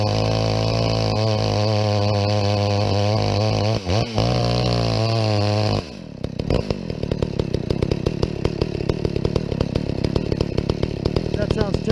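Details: Chainsaw (Husqvarna vs McCulloch comparison) on a stock chain with rakers mostly not filed: a high wail wavers, then drops to a ragged, crackling burble with uneven pops. It runs rough, likely from carb tuning; the owner tunes it in the wood and has heard these saws may be governed.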